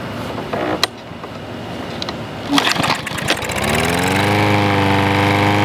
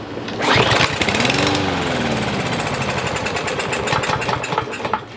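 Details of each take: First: Troy-Bilt push mower after carburetor repair, air filter off, having mowed thick grass: after a few rough pulls it catches and settles into a steady, even drone with no surging or misfire; running well. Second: Troy-Bilt TB110 push mower, 140cc engine, sat a year under leaves: on starting fluid it bursts into rapid uneven firing, stumbles and dies within seconds; spark confirmed, so the carburetor isn't feeding fuel.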